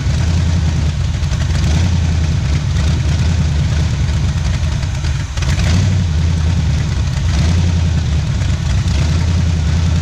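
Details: 1977 Pontiac Firebird V8 drag car revived after about 36 years sitting, cold start, warming up for thermostat to open; loud deep idle with steady choppy loping beat; lumpy idle from performance camshaft.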